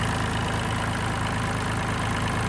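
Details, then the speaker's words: Neglected John Deere tractor after fitting a missing bracket and fan shroud screws to cure chattering: steady, even low idle with no ticking or chatter; normal idle, ticking fixed. "That fixed the ticking."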